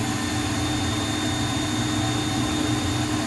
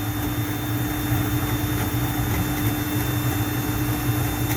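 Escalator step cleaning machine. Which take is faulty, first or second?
first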